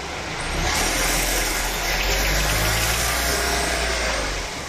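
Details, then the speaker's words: Tank 300 SUV under 5,000 km: harsh, rasping tearing noise swells over the engine for several seconds then fades, in D/M gear only, not neutral or reverse; source near engine and gearbox, unresolved by flywheel, torque converter or transfer case replacement. "这种尖锐的撕裂声，据车友介绍说，经常发生在 DM 档、空档和倒档都没有问题。"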